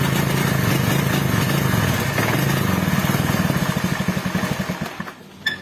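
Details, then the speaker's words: Carbureted Honda Beat scooter: engine sputters unevenly in ragged pulses and dies; stumbles only with the regulator/rectifier (kiprok) connected, runs smoothly when its socket is unplugged, wiring being checked. "Ketika kiprok dipasang, motor berbet gak bisa jalan sama sekali. Tapi ketika soket kiprok dilepas, si motor itu lancar-lancar saja, tidak ada penyakit apapun."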